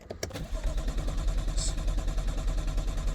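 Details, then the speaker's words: BMW M2 no-start: the code reader shows zero engine rpm while cranking, no crank signal; the starter spins steadily at about three pulses a second but it never fires. A failed crankshaft position sensor, to be replaced with the inlet manifold removed. "So, I have put the code reader on and there is zero rpm um when you're cranking. Look. Ignition on. No. See? Nothing."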